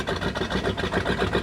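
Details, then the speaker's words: 1996 Sea Ray 260 big-block boat engine, sitting for years, run on carb cleaner up to 2,000 RPM: uneven stumbling beat with lumpy pulses and rattly top end, no knocking; not charging, oil pressure present; rough running, needs a tune-up. "it did run up to 2,000 RPM but it's running really rough it's kind of hard to hear but definitely needs a tuneup I don't hear any knocking so nothing's knocking at all"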